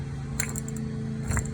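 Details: Rear wheel bearing just knocked out of a car during rear bearing replacement: two short bursts of dry metallic rattling over a low steady hum as the loose, rough bearing is handled; worn out and due for replacement.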